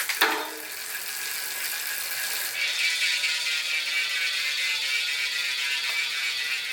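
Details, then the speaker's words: Velo Orange rear hub after re-greasing the freehub pawls and ratchet ring, checked while running the chain through the gears: soft, fast, even ticking as the wheel coasts, muted rather than loud. Night-and-day quieter; normal. "night and day well now people on the trip won't hear me coming so probably should add a bell to this one"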